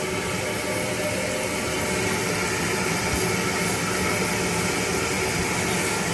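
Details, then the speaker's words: Toilet tank refilling after replacing a leaking, non-shutting fill valve with a new Fluidmaster valve: steady soft water hiss with no whistle, chatter or surging; quieter than the old one. "pretty quiet compared to the old one"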